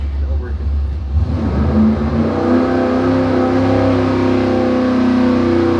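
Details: Dart 400 small-block Chevy on an engine dyno, warmed up, after changing to a higher-number power valve to cure a lean misfire on throttle roll-in: clean full-throttle pull, about 582 hp, no stumble.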